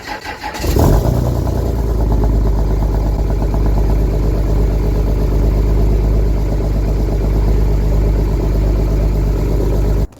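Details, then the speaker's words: Dodge 5.9 diesel, cold start at 25°F: a brief crank, then it catches at once and settles into a steady, deep diesel clatter; a clean, healthy cold start. "so now let's skip to what what a 59 sounds like when you start it when it's 25° out"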